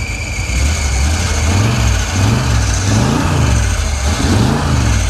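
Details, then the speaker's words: Big V8 that had sat a long time, now warming up after squealing belts. A deep, steady, even idle rumble with gentle swells and the squeal gone: it sounds much better. "Ah, starting to sound a lot better now."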